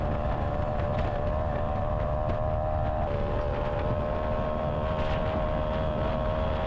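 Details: Honda Odyssey FL250 on a ride after its fuel pump was rebuilt and refitted: a steady, even engine drone under load over wind noise, with no misses, surges or stumbles. Normal running under load.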